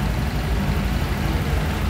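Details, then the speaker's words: Honda Click 125 V3 scooter at about 3,000 km, noisy when engine is cold: idling with a deep, uneven rattle from worn, loose CVT sliders that should be tight; sliders need replacing, rollers still usable. "Ito lang slider kasi dapat ito hindi maluwag kailangan masikip yan"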